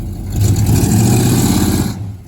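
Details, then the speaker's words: Box Chevy V8, owner planning carburetor work: revs up and holds with deep, lumpy roar before dropping off; an odd unidentified noise rides along, also heard days earlier, cause unclear. "you heard that Noah I don't know what that was they did me like that uh the other day try one more time"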